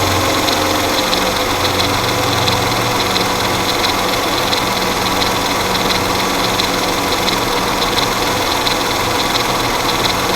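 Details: Mercedes M112 engine: loose, light clatter one to two ticks a second over the idle, very pronounced at idle and gone by about 1500 rpm; suspected timing chain noise, unconfirmed.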